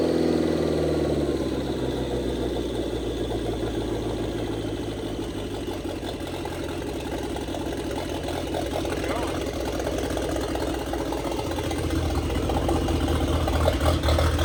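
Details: 1927 Ford Roadster 2.3L turbo four after fuel-line repair, 91-octane fuel: settles into a fairly steady idle with even beat, no knocks or hissing leaks; runs sound but still untuned, downpipe not yet welded.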